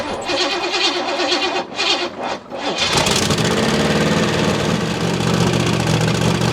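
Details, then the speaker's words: Holden Commodore 5.0L V8 first start after revival: the starter cranks, then it catches into a loud, raspy idle with a sharp ticking edge, likely from an exhaust leak because the exhaust bolts were left untightened. "Although, in forgetting to tension the exhaust bolts, it meant the old 5.0 was probably making a bit more noise than it should have."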